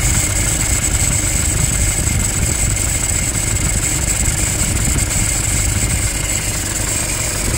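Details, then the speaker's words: Toyota Hilux 2.5 diesel at idle: constant raspy scraping with a thin high squeal over the engine, plus a bearing-like noise underneath; alternator freewheel pulley has failed. "Tudo indica que temos aqui um barulho de alternador pío de alternador esse barulho mais acentuado aí tem um no fundo mais de rolamento"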